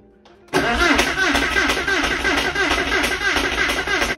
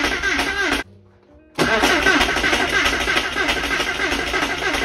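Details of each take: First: Flood-damaged Porsche 968 restoration, first start attempt after fuel flush: starter cranks steadily, about three turns a second, but never catches; owner suspects relays installed incorrectly. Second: Flood-damaged Porsche 968, first crank after rebuild with the fuel relay pulled to prime oil: steady cranking at about three turns a second, even, no scrapes or clunks; normal cranking, no abnormal noises.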